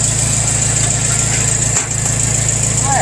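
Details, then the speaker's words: Red 140 garden tractor idling after a strong full-throttle crank on a new John Deere dealer solenoid, replacing repeatedly failed solenoids: steady low even idle hum, no misses, knocks or hunting; normal idle. "that was a strong crank that throttle was all the way up yeah all right look at her turn like a kitten now"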